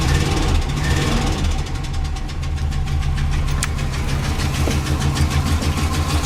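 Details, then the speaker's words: Engine that ran smooth at first, restarted after fresh gas and fuel treatment: sharp, steady clicking about three per second over a rough idle, from the top of the motor, passenger side toward the back. Sounds like valvetrain tick; unconfirmed. "there's that ticking noise and it's coming from I believe this area right here towards the back"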